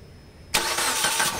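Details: Car brought in for loud engine noise: the starter catches and the engine fires straight into a smooth, even idle with no knocking or rattle; noise gone.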